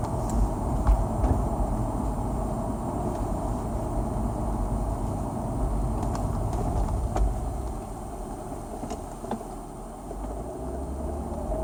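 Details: BMW E39 523iA 2000 with ZF 5HP19 automatic, 220,000 km, fluid and filter changed at 170,000 km: a thin whine over road and engine noise rises briefly in pitch pulling away in first gear; shifting fine.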